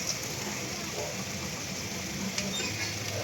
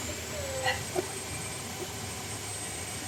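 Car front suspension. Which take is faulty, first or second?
first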